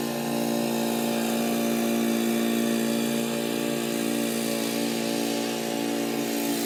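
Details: Old Murray riding mower with a 12 hp Briggs & Stratton engine, mowing in 30–33 degree heat: steady, even drone holding its pitch while cutting, with no knocks, surging or misses; normal healthy running under load.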